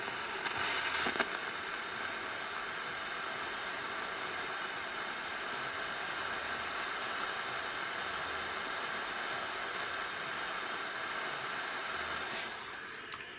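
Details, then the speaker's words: 1965 Decca Diadem transistor table radio, input disconnected, volume up: loud hiss like distant thunderstorm with occasional crackles from the preamp stage; transistor may test OK but fail in circuit. "sounds a bit like a distant thunderstorm with occasional crackles"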